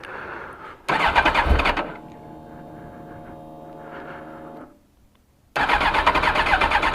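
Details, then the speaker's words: 2002 Suzuki GSX-R1000 first cold start after tank cleaning, pump cleaning, new air filter and NGK plugs, primed four times: short crank then catches to busy even four-cylinder run, held near 1100 rpm; starts cleanly. "she's alive she is live boys and girls pooped out some nastiness cold as can be but she's running ha ha"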